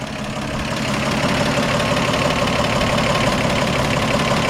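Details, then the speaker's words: 1955 Ford F100 V8 with original-sounding exhaust, heard with the hood open: even idle with a light, regular solid-lifter tick over the rumble. Lifters sound normal, engine healthy. "we'll get nice healthy solid lifters you can hear they're all right"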